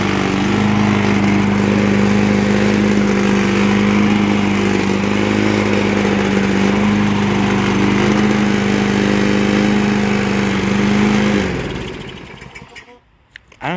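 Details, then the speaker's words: 2003 Toro Recycler push mower, engine now running well while water-contaminated gas is still burning off. Steady speed with a slightly uneven beat and a light rattle before shutting off. Owner suspects something loose on the deck or the blade, not the engine. "it's not the engine the engine's running good now might just be the deck something on the deck rattling or again the blade itself but the engine is finally good"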